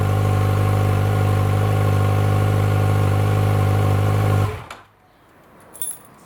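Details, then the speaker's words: 2006 Yamaha FZ1-N on the fully stock exhaust, before the slip-on swap: a smooth, steady high-rev drone, then the throttle closes and it drops off cleanly. Free revving to about 7,000 rpm; normal. "that was just free revving up to about 7,000 RPM."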